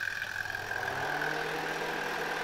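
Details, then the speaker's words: 1972 Zelmer SC hand dryer, SILMA SAZ-2 fan motor with a test bulb (probably 40 W) fitted instead of original 350 W lamps, started via timer: fan spins up into a steady even mid-high whir, no rubbing or rattle. Normal running. "No i super, zobaczcie. Wiatraczek zaczyna działać, żarówka się świeci."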